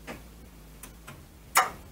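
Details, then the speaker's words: 1932 Ford sedan being rewired, ignition on accessory, indicator switch flicked with lamps not connected: a few faint dry clicks every quarter to half second and one louder clack, the indicator relay switching normally. "The lights aren't hooked up, but if I go on ACK and I flick the switch, you can hear it clunk over there. Hear the relay."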